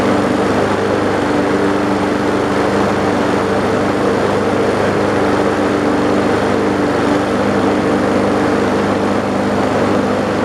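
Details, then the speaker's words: Old abandoned mower struggling to start after several primes, water pouring out of it; steady loud droning engine note just catching and running, possibly uneven from water contamination. "there we go that sounds like it's doing something now"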